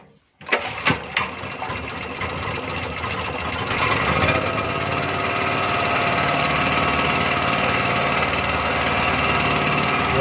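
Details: Small single-cylinder petrol generator after fixing a carburettor fuel leak: catches after a couple of pulls, then steady, even buzzing run with no misses and no petrol leaking.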